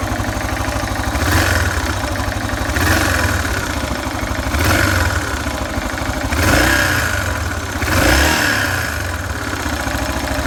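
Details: Yamaha XT 600 (43F) single, cold idle: uneven thumping with mechanical clatter, rising and falling with throttle blips about every second; cold engine noise, cause undetermined.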